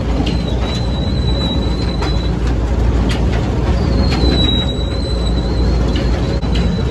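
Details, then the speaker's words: Machine running: thin, high-pitched squeal like a dying cat in long drawn-out bursts over heavy rumble; owner suspects a dry bearing and tries degreasing lubricant to pinpoint it. Cause not confirmed. "like a dying cat, doesn't it? I tell you what that needs, don't you? A bit of my degreasing lubricant on it."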